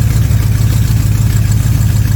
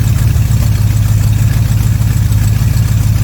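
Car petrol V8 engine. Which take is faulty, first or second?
first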